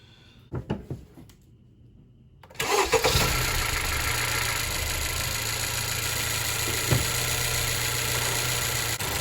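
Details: 2018 Honda CR-V after battery replacement for a click-click no-start: one brief crank, engine catches at once and settles into a steady, even idle; healthy quick start, charging at 14.43 V.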